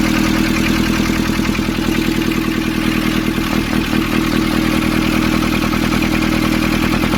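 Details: Nissan Urvan ZD30 diesel after its no-start was fixed by cleaning a black, dirt-clogged part: steady idle with even, light clatter at about 150 beats a minute and no misses; sounds healthy.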